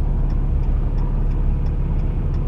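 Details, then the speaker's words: RAM Cummins diesel at warm-up idle, coolant around 123–131°F on a cold morning, exhaust brake still on: deep steady idle with a muffled, slightly loaded exhaust note and light regular ticking; exhaust brake closed for warm-up. "you can see the exhaust brake is still on sitting here Island but I don't know if you can hear but I can actually hear the exhaust"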